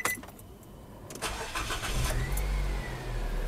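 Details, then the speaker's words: Car engine cranks sluggishly for about a second, then catches and idles. A phone-linked Bluetooth meter cranking test shows voltage dropping to 8.38 V, below the 9.6 V minimum, and the starter is judged faulty. "Okey, dekat sini kita boleh tengok voltage drop 8.38 volt. Memang rendah. Okey. Jadi, kalau kita tengok dekat sini ada info cranking voltage mestilah lebih daripada 9.6 volt. Dan kalau di bawah 9.6 volt bermaksud starter kita bermasalah."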